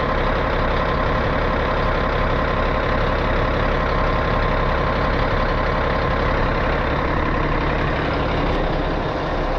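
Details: 637 scraper, long-sitting machine, after repaired switch reinstalled: big diesel ticking over evenly with steady low rumble and no knocks or misses, healthy idle while tractor builds air.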